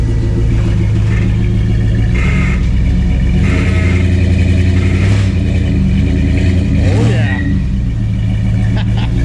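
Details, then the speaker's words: Jeep after its tailpipe and custom exhaust were welded up: a deep, steady rumble with throttle blips and no ticking or puffing; sealed, judged how it should sound. "I think that's how those things are supposed to sound way better than the b6es"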